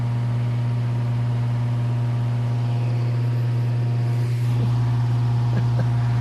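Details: Circa 1948–1950 Hunter CG-16 industrial fan, bought weathered from an antique store, running after the oscillator mechanism was freed and lubricated: strong steady low hum, constant deep tone and smooth airflow rush, no scraping or knocking; normal running.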